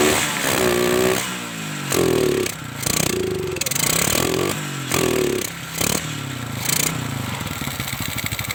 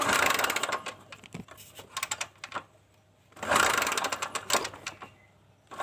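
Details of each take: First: Kawasaki Kaze motorcycle with lost ignition, coil spark checked strong (CDI usually suspected): a few short cranking bursts, then the single fires and settles into a steady, even run; normal running, ignition working again. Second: Kawasaki Kaze motorcycle that has lost ignition: two bursts of kick-starting turn the engine over with quiet gaps and no catch. The stator coil was tested and gives spark.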